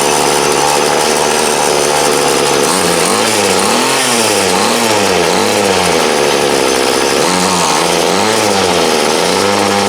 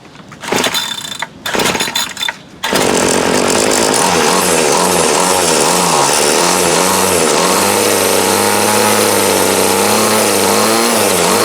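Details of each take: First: 2008 Troy Bilt TB20CS 31cc two-stroke trimmer, fuel lines, filter and primer replaced, idled about 5 minutes and wanted half choke; revs rise and sag in repeated surges about once a second: carb dead spot, mixture adjustment needed. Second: 2008 Troy Bilt TB20CS 31cc two-stroke trimmer after new fuel lines, fuel filter and primer and a carb adjustment: a few pulls, then it catches and buzzes high, wavering slightly before steadying; runs well, carb still needs slight tweaking.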